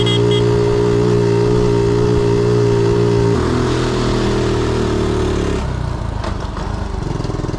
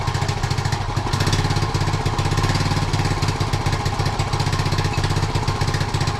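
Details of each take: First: 1976 Honda Z50J1 single warming up to temperature after the points gap was set to about 15 thou: it settles into a smooth, even idle with no misses, easing as the revs drop. Normal idle after the fix. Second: 1976 Honda Z50J1 Monkey, which has run poorly for the 3 years it has been owned, has a new carb that was stripped before fitting. Its small single chuffs unevenly at idle, stumbling and surging: a rough idle. Owner plans to clean the carb, suspecting a blocked jet.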